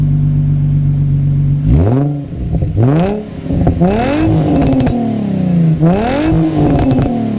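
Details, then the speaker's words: Rebuilt salvage 2006 Nissan 350Z convertible with new exhaust: deep burbling exhaust note rising and falling through several quick blips and settling back, smooth with no knocks or rattles. "let's drop the top and let's fire it up so you guys can hear that new exhaust"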